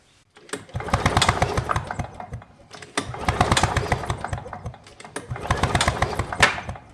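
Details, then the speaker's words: Victa two-stroke PowerTorque lawn mower with no spark, even with a brand-new spark plug fitted: three pull-cord cranks about two seconds apart, each a rattling spin dying away without firing; failed ignition coil, kill switch wires checked next. "so as you can see even with a brand new spark plug there's still no Spar so the next thing we're going to do is to remove the kill switch wires from the carburetor just to confirm that it's not a kill switch problem that's stopping the spark"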